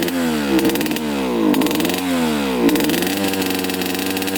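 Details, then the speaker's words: 2003 Suzuki RM125 two-stroke dirt bike blipped several times, each rev rising sluggishly and falling away, boggy; blue smoke from exhaust, no crankcase oil smell, owner suspects running rich, possibly coolant; engine bog on revving. "so it might just be running rich you can definitely hear it's boggy"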